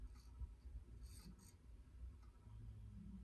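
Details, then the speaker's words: Cast-iron-motor Evergo E2 ceiling fan at high speed with a low, uneven snoring drone and faint raspy scratch from worn motor bearings. "There's also another issue and it's bearings. Yes, this fan has interesting bearing noises."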